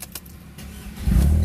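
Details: Mercedes car that wouldn't start after sitting unused about a month, started after electrical checks and repair: quiet for about a second, then the starter catches and the engine fires into a steady low run. Clean normal start.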